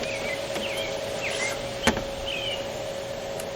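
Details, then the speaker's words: Motomaster Eliminator 500 W inverter powering a laptop, cooling fan whirring steadily with a faint mid-pitched hum; the fan should only come on when over-drawing from the system, and the inverter is heard surging under the laptop load. "so when your fan comes on it should only come on if you're over drawing from the system"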